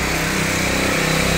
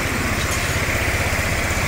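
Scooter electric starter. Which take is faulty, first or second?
first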